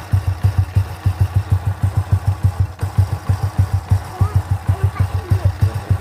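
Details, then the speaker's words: Honda C800 (C100-based) single-cylinder after gluing loose plate back in magneto cover: even, steady idle putt about three beats a second with no ticking; ticking noise cured. "Nah, itu dia hasilnya setelah kita melakukan perbaikan di bagian magnet ya."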